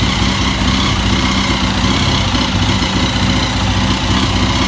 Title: KTM EXC Motorgeräusch